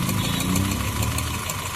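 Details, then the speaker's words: Honda City petrol engine with aftermarket CNG fitting, idling as ignition coils are unplugged one by one: pulling the second coil makes the lumpy idle change and shake harder; the misfire came from two faulty, leaking coils, while the plugs were fine. "अब मैं दूसरा निकालता हूं। यह रहा दूसरा अब देखिए इंजन कैसे साउंड भी चेंज हो गया और वाइब्रेशन भी ज्यादा देखिए।"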